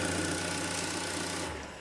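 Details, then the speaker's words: Engine running while the negative battery terminal is disconnected as a quick charging test: it runs steadily, then dies within half a second, confirming the alternator is not charging; battery is good and the alternator is to be replaced. "it shuts off all right so I'm going to so I already checked this car I know the alternator is not charging"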